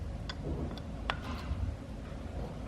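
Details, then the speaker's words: BMW E46 M3 S54 VANOS solenoid pack on the bench during cleaning: sharp clicks as each solenoid valve snaps open when a magnet is applied and closed when it is removed, over a quiet hiss; normal, free valve action. "You'll hear an audible click, and every time you remove the magnet, the click will, you'll hear it click as well. So it clicks open, and then once you remove the magnet, it clicks closed."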